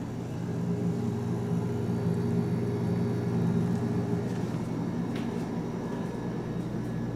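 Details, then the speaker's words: 1982 GE side-by-side refrigerator, model TF20DB, about 40 years old: the compressor starts and runs with a steady, even low hum and no knocks or rattles. Smooth, normal compressor run. "listen to that 40 year old compressor just as smooth as ever"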